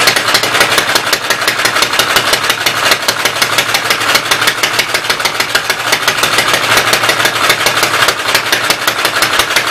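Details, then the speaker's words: Fast, sharp ticking clatter about three per second over the busy-running Westchester engine, valve cover off, oil spraying; owner suspects a knocked-out block caused smoking, oil up from crankcase; top end needs rebuilding. "I think it started smoking because I knocked the one block out from behind it. All the oil's hanging out in the crankcase and going up around it. So top end's gonna need rebuilt."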